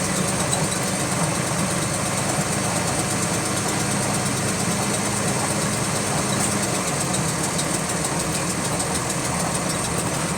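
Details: GAL WVL358 bus on route 486: fast, even ticking over the diesel idle, keeping pace with engine revs; clicking in time with engine speed, source unknown.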